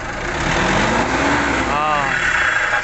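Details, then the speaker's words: Nissan NV350 YD25 diesel, low power, no check engine light, revved: airy sucking whoosh swells over engine note; cause found to be turbo actuator malfunction. "ngayon mga kalbularyo, kung naririnig nyo ay parang may humihigop na hangin."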